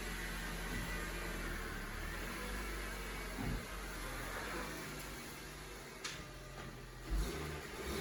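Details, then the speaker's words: 2010 Honda Civic (bought used with about 12,000 miles) after replacing the exhaust with a brand-new pipe and muffler: steady, low, even idle with a quiet exhaust and no whistling, rattles or blowing; sounds like new again. "Sounds like new. No whistling Dixie. No whistling diesel. Sounds like new again."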